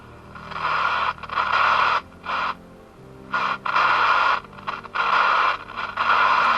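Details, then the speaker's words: President JFK CB radio powered up for diagnosis: static cuts in and out in ragged bursts as knobs turn; all potentiometers and switches crackle and need cleaning. "Jak słychać Już potencjometr trzeszczy czyli czyli praktycznie wszystkie potencjometry od razu i przełączniki do czyszczenia"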